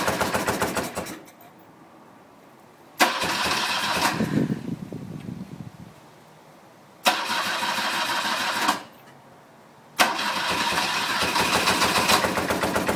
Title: R65 Rough running/misfire